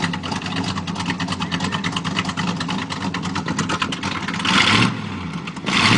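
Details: 1987 Chevy 350 V8 with cam and flat-top pistons, just bought, first start, needs a tune-up: choppy, lumpy idle with uneven pulses, then two quick throttle blips rising and falling; rough idle and revving.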